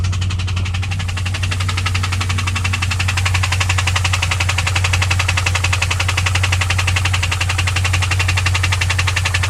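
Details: 2001 WS6 LS1 5.7L V8 at idle: steady tick about three per second over a smooth idle; ticked at high rpm first, oil pressure fell from 30 to 0 when shifting, engine found with zero oil, tick after refilling, cause unknown.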